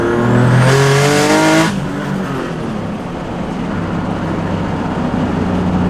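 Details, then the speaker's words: Car on a low-boost pull after electrical fixes: the engine revs hard, then on lift-off a quick fluttering chatter repeats about three times a second; turbo flutter, running well. "sounds good guys she sounds good some more turbo flutter you"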